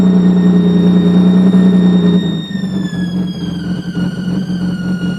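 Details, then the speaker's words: 2003 Nissan 350Z with a replacement engine of 75,000 miles, noise starting after a radiator replacement, oil pressure gauge reading very high: piercing high-pitched screech over raised rpm that slides down and fades as revs drop. "as the rpms drop it goes away you"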